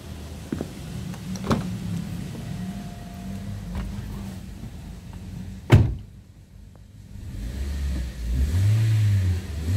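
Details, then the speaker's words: Toyota Sienta petrol engine after its water pump was replaced to cure a rough noise heard from the front near the alternator and water pump: idle and five quick, even throttle blips with no roughness; normal revving. "ya untuk suara mesin sudah hilang setelah dilakukan penggantian unit water pump dengarkan di bagian mesin depan"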